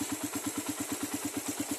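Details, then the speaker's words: Raider carbureted motorcycle on a cold morning after a one-click start: steady idle at about eight even exhaust pulses a second, and the brief head tick has faded as oil reaches the top; it holds idle without dying, which the owner takes as a sign of rich fuel use. "So ayan nung pinaandar natin hindi naman siya namamatay yung kanyang menor pero malamig siya."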